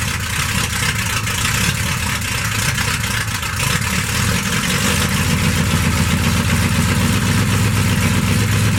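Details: Stock 1991 Dodge D150, 318 TBI V8, with new Hedman 79080 headers and custom exhaust with Dynomax bullet mufflers: deep, even V8 burble settling into a smooth, regular idle with no ticks or exhaust leaks; healthy.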